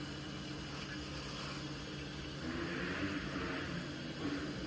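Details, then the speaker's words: Toilet that keeps running for no reason: steady low hiss and trickle of water that never shuts off as the cistern keeps refilling after flushing; owner suspects the loose lid flush buttons staying pressed. "So I flush it again. I can hear it. I can hear the water filling up."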